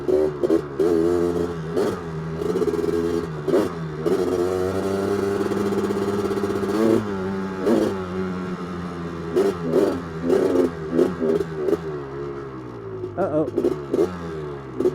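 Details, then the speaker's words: 1985 Honda ATC 250R two-stroke, freshly rebuilt (new crank, rods, Wiseco piston, bored cylinder), being broken in under load: revs climb, then stumble and sag at full throttle. It is bogging; the mechanic suspects flooding from an oversized 180 jet. "I think she's flooding out. She doesn't like uh full throttle."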